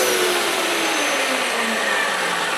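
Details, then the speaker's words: Hoover Elite Power Scrub carpet steam cleaner used as a vacuum with no water: motor pitch rises to an airy whine as the nozzle loses contact where the carpet dips at the threshold, losing suction. "Now here it go high because, hear that? I'm not getting any suction,"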